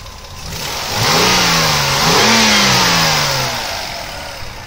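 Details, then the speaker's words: 2004 Toyota Avalon XLS, 3-liter 24-valve V6; smooth blip from idle rising quickly then settling back, clean and even with no knock or rattle, healthy engine. "And of course, the famous 3-liter 24-valve V6. Moves this thing along quite nicely, I might say."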